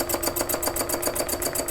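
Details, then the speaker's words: Demonstration sewing machine stitching at speed; fast, even clatter with a loose, tinny knock each cycle, as if something is loose underneath; it feels smooth, and the presenter suspects it needs oil or TLC; rough running noise. "it feels like it's stitching smoothly but yeah yeah it sounds like something loose underneath it needs some oil or a little bit of tlc"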